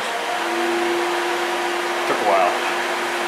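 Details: 2003 Chevrolet Impala, electric cooling fan commanded on with a scan tool during relay testing. There is a steady whoosh of air and a constant low motor hum with no rubbing or wobble. The fan runs normally.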